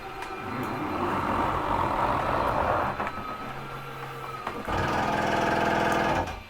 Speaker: little grinding noise that i purposely held for a couple seconds that's fine to hear that nothing's grinding nothing's hurting anything it's just the way the uh mechanism keeps itself from sliding out any further